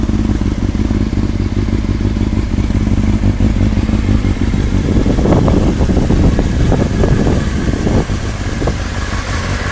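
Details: Honda CBR600FM motorcycle engine idling then blipped, uneven clattery knock riding over the exhaust; engine knocking, cause not clear.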